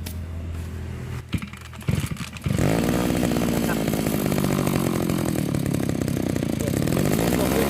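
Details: Small two-stroke grass trimmer engine after a simple home carburetor cleaning: after a few pulls it catches and settles into a steady, buzzy run with no stumbling. It runs fine.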